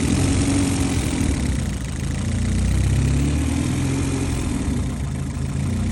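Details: Honda Civic at warm idle: low hum slowly rising and sagging over a couple of seconds, a minor hunting idle when hot, also over-revving from idle; owner suspects vacuum leaks, cause not yet found.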